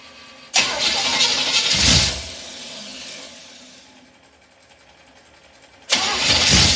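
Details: Small-block Chevy 307 V8 with FiTech fuel injection, stone cold at about 40°F ambient: cranks briefly after the key primes the system and catches immediately. It settles into a smooth fast idle, a normal cold start.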